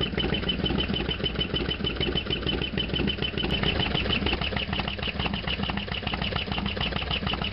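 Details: Harley-Davidson FXDX V-twin, idle after a cold start (not run since yesterday) and a half-mile ride; lumpy idle with a sharp ticking clatter over the exhaust beat, loud engine noise of undetermined cause.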